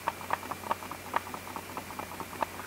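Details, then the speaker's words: New Canon EOS R5 body shaken without the battery: irregular light clicks and rattles with each shake, a part felt vibrating inside; owner suspects the in-body stabilizer, lessening with the battery fitted; internal rattle when shaken. "然后你会发现，假如说你不装电池的话，它这是会有响动的，你听见没？有声响的，我离近一点，你来听一下。"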